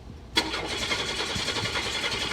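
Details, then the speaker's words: 1995 Buick Park Avenue Ultra 3.8 supercharged, stalled while driving; another shop replaced the fuel pump. Starter spins it at an even rhythm but it never fires: crank no start with no spark, no injector pulse, no fuel pump heard, no communication, no check engine light. "Okay, I'm gonna crank it. Obviously we have no spark, no injector pulse. I do not hear the fuel pump coming on."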